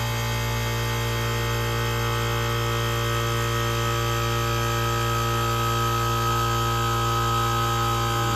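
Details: 1978 Comfort-Aire Quietmaster 29,000 BTU air conditioner with Tecumseh AH152HT031 compressor, fan stalled briefly, unit not yet cleaned: steady even low hum, smooth mechanical drone, no knocks or rattles; compressor sounds healthy.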